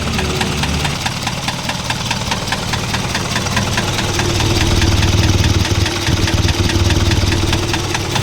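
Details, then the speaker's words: Isuzu 4HL1 electronic diesel idling with a sharp, regular knock about four a second, growing louder with slight revving. Smoke puffs come in time with the knock. External parts and valve clearance were checked and are fine. Piston slap knock. "pa ngayon ay Subukan natin na siladan ng konti lalong lumalakas ang tunog na naririnig"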